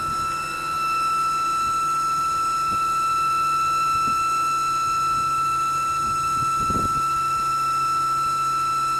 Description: My E92 has developed a loud whinning noise coming from the engine bay.